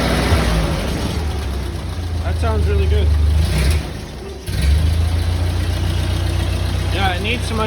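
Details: Ford 8N tractor on first start after the old governor was replaced with a new one, linkage still loose: low, steady engine note holding an even speed without surging or running away, with a short dip mid-clip; runs normally but still needs some governor adjusting.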